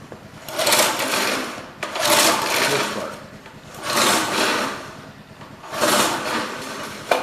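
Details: Old rototiller, guessed late-1960s to 1970s, with a Briggs & Stratton engine, after cleaning: four pull-starter whirrs, each a couple of seconds, with no firing. The engine turns over but won't start because there is no spark.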